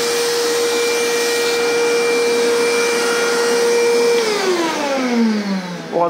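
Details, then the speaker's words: Karcher WD 3 vacuum cleaner after repair, previously clogged from use without filter and droning with vibration: steady high motor whine at even pitch, then smooth spin-down when switched off; running normally and powerfully. "तरीके से काम कर रहा है और अच्छा powerful है"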